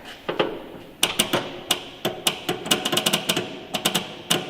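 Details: 1969 Ford F250 Ranger camper special, 390 FE big block, off the road since 2008: sharp, irregular clicks with no cranking on a crank attempt after filling the float bowl via electric pump; dead battery.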